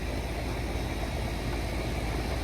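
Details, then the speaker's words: Goodman air conditioner after filter drier replaced for liquid line restriction, fixed piston system: steady even hum with soft low rumble, no rattles or hissing; pressures spot on, running cleanly. "Um, our pressures are spot on. Everything sounds good. So, hopefully this fixed the problem."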